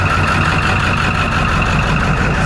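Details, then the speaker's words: Triple-turbo 7.3 Powerstroke with large injectors, nitrous and a swapped IPR, just after start: deep gruff diesel clatter holding a steady idle with a faint whistle on top; runs evenly, sounds healthy. "Sounds like a tractor. See if it blows up."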